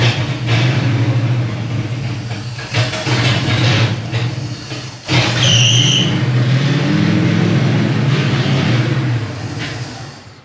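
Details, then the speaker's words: 1972 Chevrolet Impala, points filed twice, now running while timing is adjusted; low uneven rumble with lumpy, stumbling beat, still not totally happy but closer: rough running, ignition timing off. "see if we can dial in the timing a little bit it's still not totally happy but we're a lot closer than we were"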